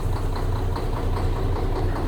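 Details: Diesel engine idling while injection pump lines are loosened one by one at the injectors to find the knock: steady idle with a rhythmic hard knock each cycle, pointing to one cylinder overfueling from its injector.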